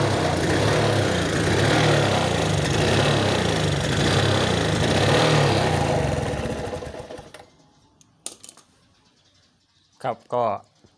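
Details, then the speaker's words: Suzuki Smash single-cylinder bike with hard starting, revved for several seconds: rough, uneven note that stumbles instead of picking up, then drops to idle. Hesitation on acceleration; battery deteriorated and fuse bypassed with direct wiring; many possible causes. "เร่งไม่ค่อยขึ้นนะครับเร่งสะดุดนะครับ"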